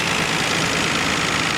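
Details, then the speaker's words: 1990 Nissan Skyline GT-R Nismo Edition with 150,000 km: it started without problems and idles evenly and smoothly. The audible injector ticking is normal for these cars; a healthy idle. "you can hear the injectors ticking away that's normal for these cars"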